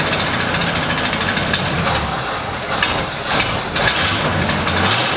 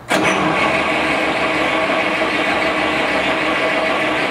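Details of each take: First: 1937 Buick limo, restored in 1980s and stored, first start in 25+ years, 6-volt battery, started with starting fluid; fuel supply from tank uncertain. Loose uneven idle with irregular chuff and some rattle. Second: 1937 Buick limousine, restored in the 1980s and stored, reportedly last run in the 1980s, 6-volt battery, first start attempt: long steady rough cranking, a couple of brief shuffles but no firing; crank no start, spark to be checked next.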